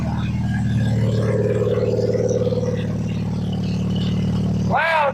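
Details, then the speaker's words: Plymouth Sundance after timing belt, water pump and fresh tune-up, previously cutting out when revved, some vacuum leaks remaining: engine catches and settles into loud but steady even throaty idle, no misses; normal running. "Loud but smooth. I don't know how obnoxious it is to you guys, but sounds good. Yeah, she's obnoxiously loud. However, runs fine."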